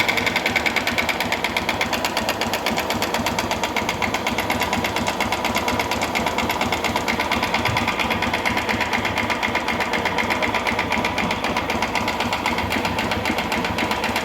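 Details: 2011 Honda Fan 125 motorcycle, engine low on oil: fast, harsh, dry metallic clatter over the idle; worn cylinder and piston from lack of oil, confirmed on head and cylinder teardown.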